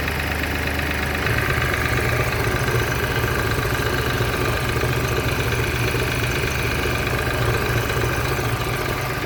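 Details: BMW X1 18i with B38 engine on cold start: fast, somewhat uneven ticking of about three to four per second as it settles into idle; source not identified.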